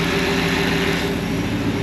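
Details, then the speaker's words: HEMI V8 in an LJ swap, first start, oil pressure up, slight power steering whine heard earlier: steady, even idle with a smooth rumble and no ticking or puffing, no exhaust leaks heard. "don't hear any exhaust leaks or anything like that here's what it sounds like"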